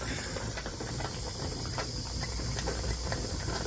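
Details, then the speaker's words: Mazda RX7 FC (CAK82) turbo rotary, engine off just after a run where it idled around 2,000 rpm: steady hiss with faint bubbling and crackle as coolant boils after shutdown, inaudible while running, following a coolant change; cause not confirmed. "that is boiling away in there thing is you couldn't hear any of that while the engine was running"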